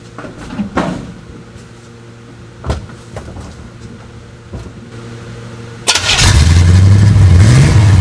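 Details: 1955 Chevrolet two-door station wagon V8, jump-started with a NOCO Boost Pro after a custom exhaust install built from mixed parts that dumps before the rear axle: quiet clicks and clunks, then it catches at six seconds and settles into a deep, steady rumble; runs fine.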